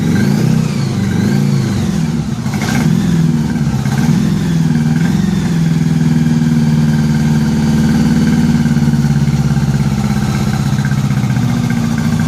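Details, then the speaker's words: 1983 Honda Gold Wing flat-four after new head gaskets and fresh spark plugs, no coolant yet, moisture in crankcase. Holds a fairly even fast idle through a few rev blips, smoother but still slightly lumpy, carburettors suspected from long sitting; no smoke or weird noises: steadier running. "think we're on the right track here this he's been sitting a while the carburetors are probably a little jacked"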